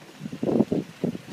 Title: Creaking Brake noise on G37x (#2)